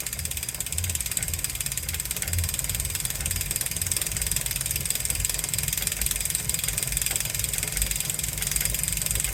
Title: wahoo kickr core clicking noise